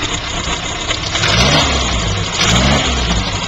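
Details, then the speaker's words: 1969 Austin-Healey Sprite after top-end rebuild with new head, Stellite valves, bronze seats: two smooth rev blips with no knocks, ticks or misses; engine sounds great. "course, the acoustics on YouTube stink with this camera, so I don't know what you're hearing, but the engine sounds great, looks great."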